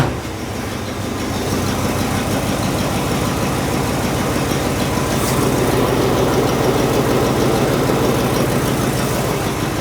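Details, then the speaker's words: 1964 Chevy C10 (flat-tappet cam, fresh 15W-40 oil), started after an oil change without choke, not yet warmed: even burble about three pulses per second, steady, no ticking or knocking; no oil light, good oil pressure, idling normally. "Sounds happy with it. No oil light or anything like that. So, we got good oil pressure."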